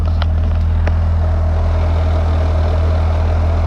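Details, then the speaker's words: BMW M3 with lightweight flywheel and aftermarket clutch at idle: loud steady low drone with fast, uneven chattering rattle, easing when revved; owner believes it is clutch/flywheel chatter, not a throwout bearing, unconfirmed. "Kind of goes away when I rev it a little bit. Some people would say that's a throwout bearing, but since I have a lightweight flywheel and aftermarket clutch, I know those chatter a lot."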